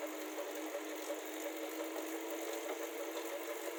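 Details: Elite Suito 2021 bike trainer running: steady whir with unnatural, loud light tapping about three times a second, unevenly spaced; maker says normal, owner disagrees as Direto lacks it; source unclear.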